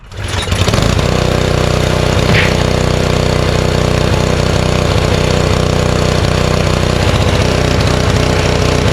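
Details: Honda snowblower, unused since last snowstorm, started with fuel shutoff closed and choke on to run the carburetor dry for storage: settles quickly into an even, steady chug about four beats a second; runs smoothly.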